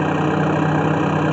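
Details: 2000 Mitsubishi Montero six-cylinder, unused since 2017, after disconnecting an alarm wire to bypass the faulty alarm causing no-crank: steady, even idle just after start-up, smooth low hum with no knocks or stumbles.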